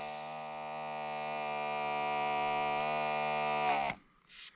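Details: Small 6 V diaphragm pump on a power supply, connected at the inlet side retracting a syringe: steady buzzing hum, pitch sagging slightly as suction builds before switching off. Running normally.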